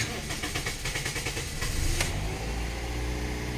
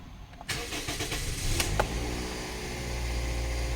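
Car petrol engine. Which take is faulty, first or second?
first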